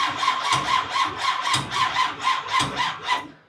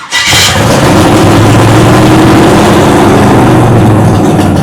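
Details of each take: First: Freshly primed big-block V8 on first fire-up attempt, running flush oil: starter cranks in sluggish, even pulses about four a second without catching, then fades; weak battery, and the starter also seemed to stick and disengage. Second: Big block V8 first fired in nearly a year, carbureted, possibly burning some oil, idle not yet sorted: roars on held throttle, dipping as throttle is backed off then picking up cleanly; normal running under throttle.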